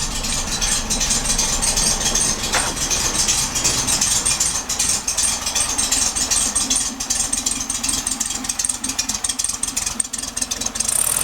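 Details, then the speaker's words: 1967 VW Beetle air-cooled flat-four with a newly rebuilt distributor and correct spark plugs, warming up about a minute after start: steady, even idle with light valvetrain patter and no misses; normal idle, sounds healthy. "We'll let that warm up a little bit. Should be running fine. Sounds good. It's been running for about a minute. It seems to be picking them up and putting them down really nice."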